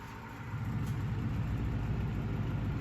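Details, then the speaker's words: 1956 Emerson 77648-SO desk fan after a cord replacement and long outdoor storage: smooth, low, even hum with steady airflow, no rattle or scrape, quiet with slight blade run-out and good air. Normal running. "It's nice and quiet. It's got a little bit of run out in it, but that's pretty hard to avoid. Good air, as you'd expect."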